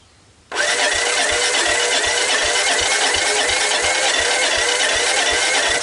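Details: Honda ATC125 ATV that stalled after a death rattle, with jump pack, portable CDI, fuel at carb, choke on: steady cranking about three turns a second with no firing; compression around 90, engine worn out. Cranks but will not start.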